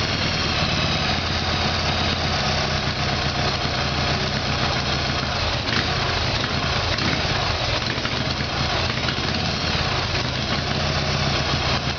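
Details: Harley-Davidson Evolution Sportster, rear cylinder was not firing: V-twin idles with uneven, lumpy beat and slightly ragged exhaust note; rough running from carburetor fault, before new iridium plugs and timing.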